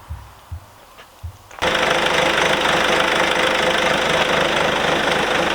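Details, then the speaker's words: Engine starts after a few soft knocks and settles into a smooth, even idle with no growl, after replacing the defective alternator, tensioner and a new belt — noise gone after repair. "et ben voilà je te disais tu vois ça fait plus de bruit Gal étendeur changé alternateur changé"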